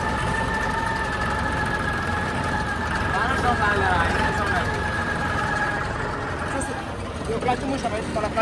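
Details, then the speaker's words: Harvester engine running with the clutch engaged: a steady mid-pitched hum with a higher overtone, occurring every morning for about an hour after start. The owner suspects the clutch, possibly the release bearing or worn plates, but this is unconfirmed. "అది maximum పక్కా clutch సౌండే కానీ మరి clutch లో ఏమైంది release పెరిగిపోయిందా లేకపోతే నెగ్గులు పోయినాయా"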